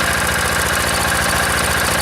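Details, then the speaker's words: Old single-cylinder diesel, decompressor start, cold engine: idle thump with a slight flutter, firing not quite even stroke to stroke; cause unclear. "fluttering there."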